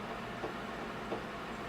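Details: VEVOR 3 L commercial slushy machine running, mix near 35.6°F and freezing: soft, regular knock about every 0.7 seconds over steady motor hum; something knocking in the auger drive, cause unconfirmed.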